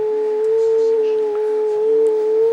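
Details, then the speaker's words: Yaesu FT-707 transceiver, previously sprayed with WD40, under repair; steady, slightly wavering hum-like tone with faint higher overtone; distorted because the bandpass filters were misaligned, with ferrite broken off the tuning slugs, and need retuning. "that doesn't sound good, does it? Well, you're on site, but so you're going to get any slight variation."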